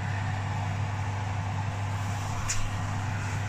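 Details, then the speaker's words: Electric fan oven just after its heating element was replaced, fan guard refitted: smooth steady low buzzing hum with no rattles, grinding or cutting out. The oven is heating and running normally. "Oven red light can you hear that buzzing noise that's a good sound"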